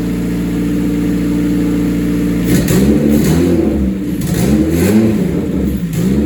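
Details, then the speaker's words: 1988 Honda CRX, mid-engine swapped with Acura Integra clip and custom turbo kit, restarted after first start: catches, settles into smooth idle, revs climb and fall cleanly with no knocks or rattles; normal start and revving. "See if she starts back up. Damn, brother. Like a fucking champ, buddy."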